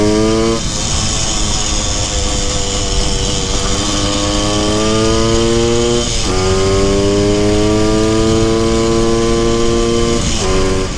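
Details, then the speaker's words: 1974 Honda MT250 Elsinore two-stroke on a test ride after correcting a points plate installed 180 degrees backwards: crisp note rising cleanly through the gears with even firing and no misses; runs healthy and strong. "Once I fixed that, the engine actually ran much better, sounded different, and I was able to take it on a real test ride."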